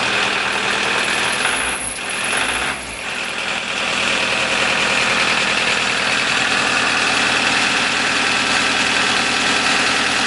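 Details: Toyota D4D diesel after SCV valve replacement (damaged valves had caused power loss), fuel primed: catches after a brief crank and settles into a steady, even idle clatter with no misfire or stumbling; normal idle.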